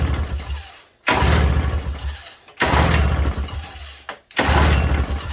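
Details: 1987 Toro CCR 2000 snow blower just fitted with a replacement carburetor, choke held on with baling wire: three short firing bursts, each catching about a second then fading, dying before it runs.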